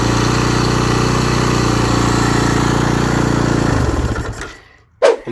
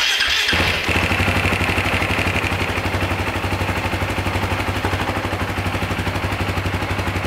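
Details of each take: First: 2009 Husaberg FE 450 single-cylinder after about 30–40 km on its first ride after rebuilding, stationary with clutch pulled: fast, steady idle well above normal tickover that kept creeping higher, then dies when switched off. Idle speed too high. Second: 2009 Husaberg FE 450 single-cylinder after idle adjustment: steady, even thump at a slow, settled idle with no hunting or stumbling, sounding much quieter and freer than before; normal idle.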